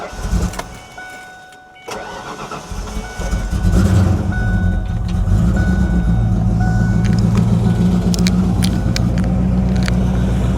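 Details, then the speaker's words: Wrecked 1993 Ford Mustang Cobra after reconnecting fuel pump wires knocked loose in the tank: a few cranks, then it catches into a steady, even idle; air intake tube still off, and the clutch fan sits too close to the radiator. "There we go. Running under our own [Music] power. Clutch fan a little too close to the radiator there."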